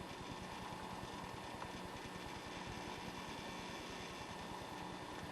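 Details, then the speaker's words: HTPC after video card swap, first Windows boot before driver install: busy irregular ticking and chatter about three per second over steady fan hiss; hard drive seeking under heavy use, normal. "Hear the hard drive going nuts."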